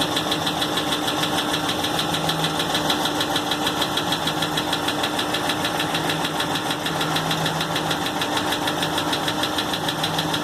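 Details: 2016 6.4 Hemi, 23k miles, idling with a steady rapid knock about three per second; began 24 hours after a dealer oil change, no warning lights, fluids normal, stopped after 24 hours; cause unknown.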